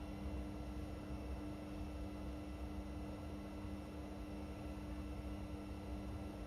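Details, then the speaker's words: Indesit Innex XWSC61252 washing machine after repair of a no-drain fault, filter already cleaned: steady, even hum with constant motor tone, no scraping, thumping or knocking; normal spin, though speed dipped noticeably when the high-speed motor coil engaged. "So, that sounds like it was a uh success. For some reason, when it um activated the highspeed uh coil on the motor, it did seem to dip quite a bit."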